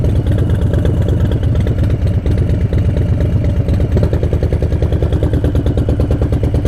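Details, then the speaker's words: 2018 Harley-Davidson Breakout, M8 engine built from 107 to 131, riding: lumpy, uneven V-twin idle with knock-like beat as rear cylinder deactivates at a stop; normal heat-management system, not engine knock. "As you can hear, it kind of sounds like engine knock. Wow. Sometimes I can't speak well. So. It's definitely weird, but sufficient."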